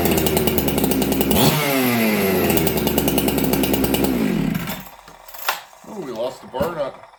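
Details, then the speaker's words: Ported Husqvarna chainsaw with new dogs, first start in a year after sitting: raspy two-stroke, crisp throttle, restarts well, no bogging or hunting; idling slightly fast, to be lowered a smidge. Normal idle. "Okay, so you guys hear it's got crisper throttle now. It restarts well. So what I'm probably gonna do, I'll call it good. I'm just gonna lower the idle just a smidge. It's idling a little fast."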